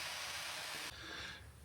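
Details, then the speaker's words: MAPP gas cylinder hooked to a torch as a comparison to a weak-flowing Mr Heater Fuel Keg propane tank: a strong, steady high hiss of gas rushing through, dropping off near the end; this is the healthy flow wanted. "just as a comparison I hooked it up to my map gas here and you can see and here that it's you know that's what you want to see"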